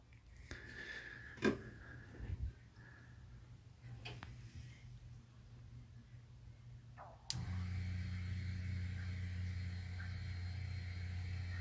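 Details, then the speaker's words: Supercharged hot rod (new smaller supercharger pulley, wider serpentine belt) getting a new fuel system and Holley Super Sniper EFI: new electric fuel pump running with the shop fan off, only a faint steady hum; normal, very quiet pump operation. "so let me shut my fan off so you can appreciate how quiet this fuel pump actually is"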